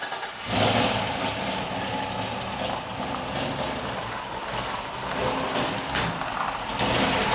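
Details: GM LS2 V8 on a new shortblock at about 900 miles, with new lifters, cam, oil pump and timing chain and original heads and rockers: quick rhythmic mechanical tick over the idle; owner suspects a spun bearing or collapsed lifter.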